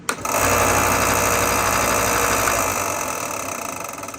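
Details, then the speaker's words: Ryobi 4x36 inch benchtop belt sander, just over a year old, starts up with a dry regular clicking about four times a second from a damaged roller bearing; fix is bearing replacement. "So of course, in October, it starts acting funny. I'm gonna turn it on so you can hear the sound that it makes."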